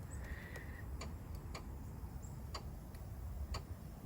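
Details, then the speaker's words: 2004–2007 Chevy Malibu A/C compressor clutch tested by jumpering pins 30 and 87 of relay 34 in the fuse box: sharp, crisp clicks over a low rumble as the clutch engages, so the clutch is good. "You can hear that clicking. That's the sound of the AC clutch engaging, so the clutch is good there."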